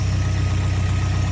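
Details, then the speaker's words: Ryan's truck warming up at idle after sitting a couple of weeks, first run since its MSD ignition box failed; new spark plugs fitted. Steady, even low rumble, no knocks or misses; carb sounding very healthy, running super smooth. "it's sounding very healthy. The truck's actually running super smooth."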